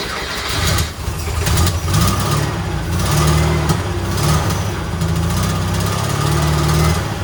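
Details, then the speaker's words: Rat-rod Porsche with custom turbo intake and bigger carbs, just started on temporary plumbing: engine runs fast and lumpy and revs hang high instead of dropping; throttle sticking open, needs a better return spring. "I need a better return spring."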